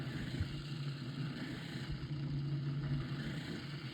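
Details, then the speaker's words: Modified Lasko 18-inch pedestal fan: steady low motor hum with a slightly wavering, uneven flutter as the motor shaft keeps rotating inside the blade when it is stopped; fan blade slipping on shaft. "If I stop this thing while it's running, you can hear the shaft is is uh you can hear that the shaft is rotating."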